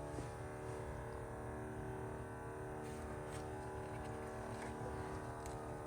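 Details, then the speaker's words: 1991 Ford F250 351W, carb-swapped, newly installed electric fuel pump wired directly to battery: steady, even hum with no surging; fuel pressure only about 2.5 psi, inlet line likely needs bleeding of air. "All right, looks like we're at about 2.5. I'll adjust on it and see what we get. I think our line actually does need blood."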